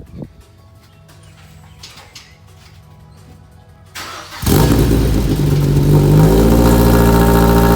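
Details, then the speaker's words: Mazda Miata with swapped Ford Fusion 2.5 engine, first start with muffler fitted (blast pipe removed): quiet, then catches and settles into a loud, deep, steady idle with no knocks or misses; healthy start, just very loud. "Yeah, I'm not gonna want it any louder than that. Oh my God, that's loud. This has a muffler and it's this loud."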